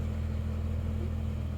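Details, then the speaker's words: 1993 Ford Mondeo Mk1 GLX 1.6 16v Zetec, 89 bhp, salvage car at −4 °C, started first time: a low even idle rumble with no misses, knocks or hunting, heard from the front and rear. No smoke. Healthy idle. "Idling nicely. See what it sounds like from the rear. No smoke coming out of it. It's running really nicely."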